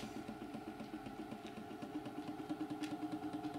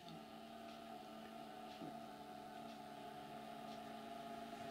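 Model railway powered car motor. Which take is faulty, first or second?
first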